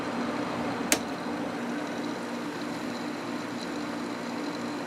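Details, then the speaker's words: Quasar window air conditioner with a new capacitor, first time installed in a window: single click, then smooth, quiet fan rush on high speed over a low, steady compressor hum; normal operation. "Compressor did start. This thing is extremely quiet. There's high speed."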